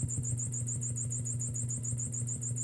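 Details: 1974 Fender Super Reverb, new preamp tubes, needing cap job: steady low hum with fast regular ticking chirp in the vibrato channel, changing with speed setting not intensity; vibrato tick, owner unsure if normal.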